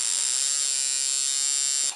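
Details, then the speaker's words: Coil tattoo machine at 5.3 volts, after finding the contact, backing the screw one turn and tightening it: even, fast, bright buzz holds steady about two seconds then cuts off cleanly; normal running, properly tuned. "Vous entendez la fréquence, comment elle est belle? Ça veut dire que la machine là, elle vibre, elle tatoue comme une bête, ok?"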